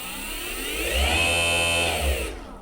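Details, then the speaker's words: Vevor go-kart electric motor and speed controller, bench test with the motor clamped down, driven by a throttle pedal. It vibrates a bit on the bench, with a steady high whir and low hum under light load before winding down: normal motor running. "vibrating a bit on the bench, the motor, even though I've got it clamped down, but you can see it's all working."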